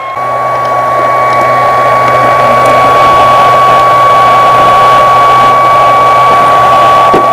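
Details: ALLExtreme 200 W portable pure AC inverter on a 12 V car battery, putting out 227 V AC with no load: a steady whooshing with a constant high whine. Its cooling fan runs loud and is described as very annoying.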